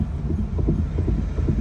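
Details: Honda Fit 3rd generation coasting with throttle and brake released: dull paired knocks about every half second over road rumble, with steering wheel vibration; knock vanishes when braking, returns on release, cause unknown.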